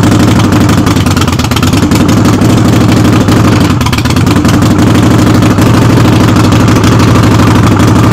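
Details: Harley-Davidson Sportster (the wife's) in neutral with the rear tire jacked off the ground, started for a brake light switch repair. Lumpy V-twin idle with an uneven clattering rattle on every beat, "like a freight train"; cause unknown.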